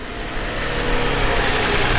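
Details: Smooth, even V6 idle that builds slightly then holds steady with no stumbles or dropped beats after fixing a misfire causing flashing check engine light; runs clean on all cylinders, normal idle.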